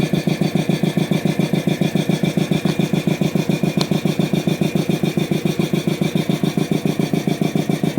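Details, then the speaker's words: DeVilbiss 445 compressor, newly reassembled, running briefly without its inlet air filter on a motor unused for years; the unloader valve leaks slightly. A steady, even chug of about 214 per minute with a faint extra rattle from the motor; cause unclear. "Hmm. Almost sounds like the motor is making some weird noises. Um, it's been years since I've actually used that motor."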